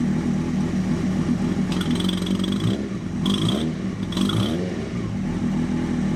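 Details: 1996 Suzuki GSX-R 750 SRAD track bike with Keihin FCR39 flat-slide carbs and very big main jets, warm after a 100 km ride: loud revving bursts that stumble slightly down low before pulling cleanly; low-rpm bog, jetting and dyno tuning pending.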